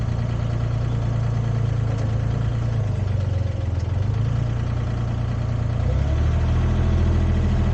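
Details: Used Komatsu PC10-3 mini excavator (hydraulic controls, thumb), hood down, running at low idle, just enough to keep the battery charged: even, low diesel thrum with steady beat, no knocks or rattles; normal low idle.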